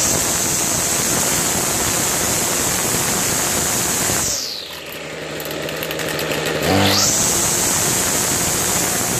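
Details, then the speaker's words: Toro 51976 25cc two-stroke straight-shaft gas trimmer, trash-picked, after new trimmer head, gas line replacement and recoil starter repair; warmed up, choke partly off, at high throttle: shrill steady scream, sags briefly off throttle, climbs cleanly back; runs healthy. "really well, huh? At high throttle like that? Alright. That's how you troubleshoot and get it to start."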